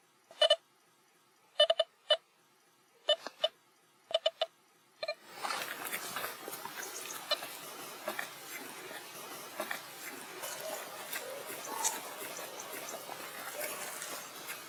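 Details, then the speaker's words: Nokta Velox One metal detector, factory reset, coil swept 5 cm above ground: erratic mid-pitched beep bursts with no target, then steady hiss; ground noise chatter, ground balance knob to be turned clockwise until silent. "If the device receives ground noise, turn the ground balance knob clockwise in small increments until the noise is gone."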